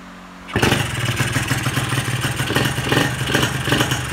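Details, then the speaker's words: Carbureted engine restarted with the idle/air screw backed fully out: an uneven, surging note with poor response that cuts out around 5 on the tach at the 1/4-throttle check (a good pilot would cut near 9.5–10); the pilot jet is much too big. "Tengok respon pun tak sedap. Ok, kita cek 1/4. Ok, sama juga RPM 5 dia dah cut. Jadi ini memang terlampau besar lah pilot."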